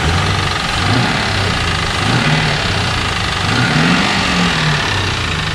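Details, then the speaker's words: 2001 Pontiac Trans Am on Mobil 1 synthetic with Marvel Mystery Oil, Lucas and Seafoam, after oil change: steady idle with a dull repeating bottom-end knock; owner hopes piston slap but suspects rod knock, unconfirmed. "I'm still hoping that it's piston slap but it sure sounds like rod knocked either way"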